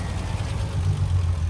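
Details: Triumph TR6 straight-six with mechanical fuel injection (no throttle-position sensing, on fresh fuel): deep, even burble at idle with a steady beat and no knocks or misses. Healthy, smooth idle.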